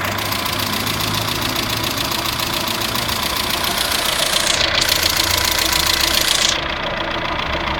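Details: Vectra 2.0 16v engine at idle: a fast, steady top-end ticking of about three to four per second over a smooth idle. The owner suspects the hydraulic lifters or a stud bolt; the cause is not confirmed.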